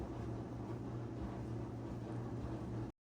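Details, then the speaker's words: Whirlpool/Maytag dryer after an idler pulley replacement to fix a squeal, reassembled and plugged in: the drum turns with a soft, even low hum and tumble, with no squeal or chirp, running quietly as it should. "Plug your machine in, slide it back, and it should be nice and quiet."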